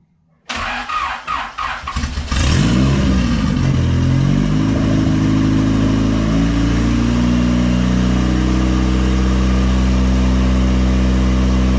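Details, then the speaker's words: Used Honda engine fitted with a big turbo kit, first run after assembly, no cooling connected and a slightly leaking water pump: cranks, catches, revs, then settles into a strong, steady run with no misses; normal running. "oh my gosh you guys hear that oh my god as the best sound i've heard in a long time it feels like finally a good running motor put together by me"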